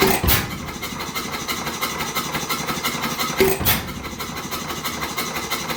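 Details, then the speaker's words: 100+ year old single-cylinder hit-and-miss oil-field engine, abandoned for years, fully torn down and rebuilt: coasting with a soft chuff, then a sharp firing bang about every three seconds; normal running. "say thank you you hear that she's running I figured you'd see enough videos of me starting it uh this is how I'd share this thing uh going at it"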